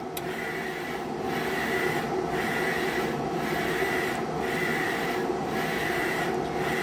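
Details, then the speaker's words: Procolored P13 DTF printer running a rainbow test print during daily maintenance: even carriage sweeps about once a second with a smooth hiss and clean reversals; normal printing. "and now it should start laying down the white overlay. And there comes the white. So that's the secondary white that gets laid over on the top."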